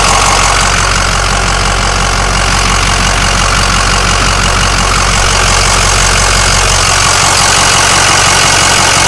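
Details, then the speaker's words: Remanufactured Blackwater Ford 6.0L diesel longblock with ARP studs, owner suspects a head gasket leak and has positive crankcase pressure. At idle, loud steady diesel rumble with regular clatter of about three knocks a second; clicking and knocking not heard on other 6.0s, cause unconfirmed. "significant clicking and knocking that i can't hear on uh any other 6.0"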